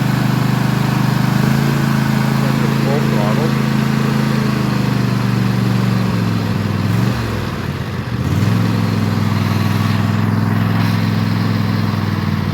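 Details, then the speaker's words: Husqvarna TS148XK lawn tractor, bought June 2024 and fuelled with additive-treated fuel, with the throttle set just below fast: a steady, even high-speed drone with a brief dip midway; a healthy engine. "it's fueled up and I'll set the throttle not quite to fast start and so you can hear what it sounds"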